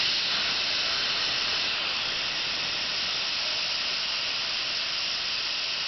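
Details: Failing air compressor after motor slowed and stopped, smelling of burnt plastic: steady loud hiss of tank air being released with no motor running, only fan running; no leaks anywhere, motor won't restart.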